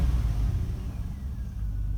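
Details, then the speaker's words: 2005 Chevy Avalanche 5.3L V8, 280,000 miles, after replacing the blown 20A PCM B fuse and clearing the codes: it restarts and revs up cleanly with a deep, steady rumble and no stumble or miss. No ABS light shows. "Alright, so now let's just restart the engine and see what it says. Alright, no ABS light. Revs up good."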